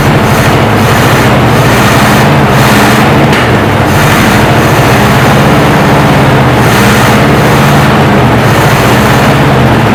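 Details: 1968 Chevy C10 small-block V8 just revived after sitting 15–16 years on old fuel: deep, steady idle with even lope, no knocks or misses; good oil pressure, sounds healthy, maybe needs a touch of tuning; normal idle.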